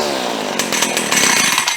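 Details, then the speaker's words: Small two-stroke engine revving with a raspy, slightly blubbery buzz that won't clean up on throttle; it is running a little rich, and the carburetor needs adjusting to lean it out. "Running a little rich. Let me adjust on it a little bit. A little bit rich."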